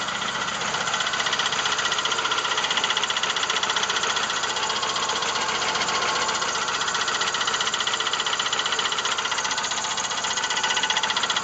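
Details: 1999 Plymouth Voyager 3.0 V6 idling: steady tapping knock about three times a second, suspected rod knock or valve tap; isolated with a mechanic's stethoscope, the cause was a cracked flywheel.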